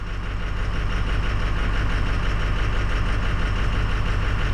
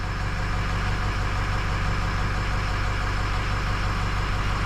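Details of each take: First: 2006 Ford 6.0 Powerstroke diesel during a scan-tool cylinder cutout test; disabling cylinder 8 changed nothing. A low idle clatter with an uneven pulse about twice a second, starting to stumble; a stuck-open injector aerating the fuel is suspected. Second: 2006 Ford 6.0 Powerstroke diesel, after repair of combustion gas entering fuel system: steady low idle with even beat, no clatter, banging or knocking any more; problem solved.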